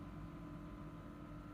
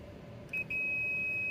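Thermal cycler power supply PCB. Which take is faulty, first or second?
first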